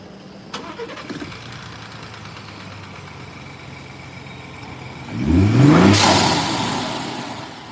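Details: 2017 GMC U-Haul van after fixing a crank-no-start with a new starter signal wire: the engine catches quickly and idles evenly, then a sharp rev climbs cleanly with a hiss as it drops back; no codes, running healthy.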